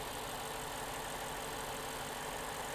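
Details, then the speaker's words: Lexus LC 500 Convertible, 5.0 liter V8, at idle: quiet, steady idle with only fine, fast injector ticking and no mechanical knocks; engine mechanically very quiet, noise comes only from exhaust and induction. "the only thing you hear when the engine is running at idle is that you hear the injector stick there are no mechanical noises from this engine in fact this engine is mechanically super super quiet"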